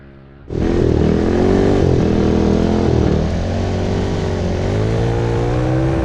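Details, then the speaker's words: 228cc Tillotson racing engine (about 23 hp) on a Monster Moto mini bike, small carburetor, coil gap opened beyond 55 thou to cure breaking up: snaps from idle to strong steady high-rev drone, no stumbling. "What? I don't hear any breaking up at all."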